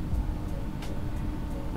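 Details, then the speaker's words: Toyota Avanza/Veloz Q CVT 2022 at key-on, with the mic moved to the rear: a faint, steady, even hum from under the left side below the middle door. This is the in-tank fuel pump priming normally. "Ada suara dengung di area belakang kendaraan"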